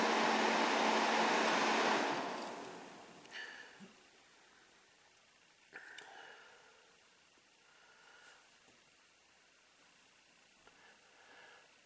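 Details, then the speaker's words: 2016 Ford F-150 EcoBoost, radiator cooling fan commanded on through the PCM actuation test of a Launch X431 scan tool in a closed garage: a loud steady rush of air for about two seconds, then it dies away; fan runs normally on high speed. "Fan control. Just to show you that this scan tool will actuate the fan."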